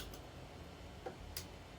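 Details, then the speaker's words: Casablanca Concentra ceiling fan running, reversing direction; soft motor hum with a sharp tick roughly once a second, a once-per-turn banging noise, possibly the recalled part. "Some of these smooth painters are recalled. It's like making a banging noise. I could hear it when I'm right here."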